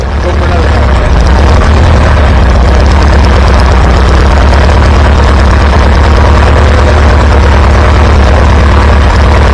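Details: Antique Farmall B tractor after new ignition coil: deep steady exhaust beat, even and strong with no misses or stumbles; good power and oil pressure, running smoothly.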